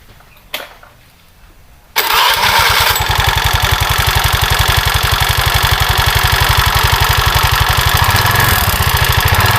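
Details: Honda Vario 110 scooter with CVT cover off after electrical repair: starts after a couple of seconds, then a fast rattly beat with harsh top end over idle; rough engine noise, cause unconfirmed.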